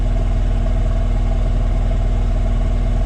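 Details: 2016 Takeuchi TL12 V2, Kubota V3800 diesel idling with cylinder four injection cut: steady lope about four beats a second, one cylinder not pulling its weight; dead cylinder.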